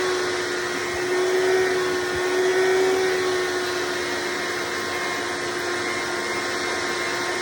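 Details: Hoover Decade Soft & Light Elite vacuum (owned since May 2024), first run after swapping 7-bladed fan impeller for 20-bladed upgrade, bearings already greased: loud steady high-pitched motor whine with even air rush, no rattles; noise mostly reduced, still slightly loud.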